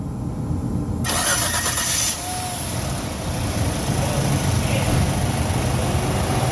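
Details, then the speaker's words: 2005 Suzuki Grand Vitara after starter replacement, the old starter having cranked slowly: brisk, quick cranking for about a second, then the engine catches right away and settles into an even idle; normal cranking and start. "It never cranked that fast since day one. Wow. Yeah, it never cranked this fast."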